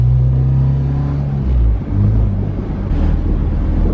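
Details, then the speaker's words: Junkyard Integra with swapped Honda K-series engine and base map, power steering removed, on a drive around the block: low, smooth, even rumble under light throttle in third gear, fairly quiet, no knock or whine; healthy cruise. "It's actually pretty quiet, and you're in third too."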